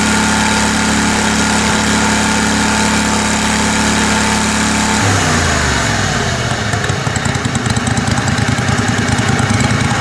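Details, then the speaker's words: Kohler Command Pro 27 hp twin lawn mower after head gasket repair, baffle removed and washer-and-pipe outlet welded to muffler: loud even open-exhaust drone winding down smoothly as throttle drops; running properly. "Hopefully that thing will continue to hold up for the rest of the year. Seems to be doing okay now."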